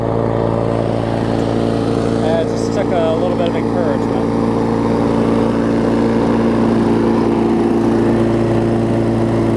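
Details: 22-inch push mower, a few years old and a little worn, spring bent slightly to run a touch faster: steady, even drone with a constant low hum, no knocks or surging; normal running.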